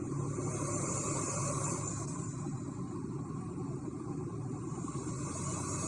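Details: Inside the cab of a 2024 Toyota Tacoma Trailhunter: steady rushing air hiss over a low engine drone from the turbo and high-mount air intake (snorkel), possibly a blow-off valve (unconfirmed); loud but normal, no fault.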